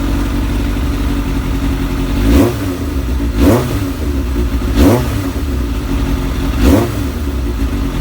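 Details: Kawasaki ZX7R sportbike four-cylinder, being charged after sitting on a 2-year-old battery the owner suspects is ruined, ticks over perfectly with a steady idle and a few quick throttle blips rising and falling cleanly; normal idle.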